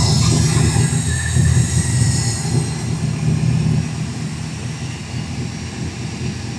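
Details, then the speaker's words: Chevrolet El Caballero V8, just started after fixing valve cover oil leak (loose cover sides), run for a few minutes to check for drips: deep steady rumble settling without misses or knocks; normal running. "I don't know about you, but that thing sounds so good."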